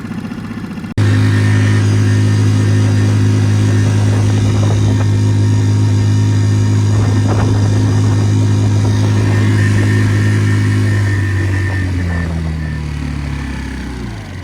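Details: Normal full-throttle running on a Tohatsu 3.5 outboard on a West Marine PRU-3 inflatable with a Doel fin and aluminium prop. Trim was two positions up from fully down. A strong, steady note holds without surging, then eases off.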